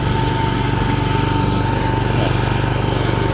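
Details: John Deere JX90CB commercial lawnmower, speed lever on slow: steady, even engine beat at constant low throttle, no misses or knocks; engine fine with lots of power, though mower is stuck in drive, owner suspects cables.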